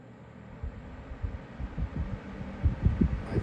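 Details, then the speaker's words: Week-old Lasko 3733 black box fan on low, grille off, after a glue-weight balancing attempt: low, uneven throbbing hum with loose wobbling pulses; still vibrating, blades remain out of balance. "feel it vibrating still if you look yeah move it all around"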